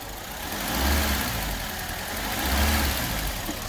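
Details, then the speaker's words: Suzuki Swift after injector seal job, fuel rail refitted and mass airflow sensor plugged back in; idles with a couple of slow gentle swells and no intake hissing: vacuum leak sealed, normal idle, running better. "but there's no more hissing okay well she seems to be running better which is a good thing"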